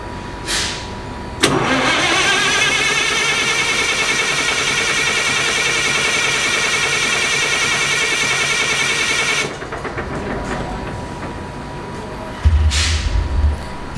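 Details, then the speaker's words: Perkins 2806 electronic diesel engine on a 600 kVA generator, battery 24 V, fuel connected, modules powered: about eight seconds of even starter cranking that never catches; crank no start, caused by a blown ECM relay fuse. "now as you can see only the engine is only cranking so first thing you have to think why it's not running the battery is connected the fuel is connected and there is a power supply with the modules"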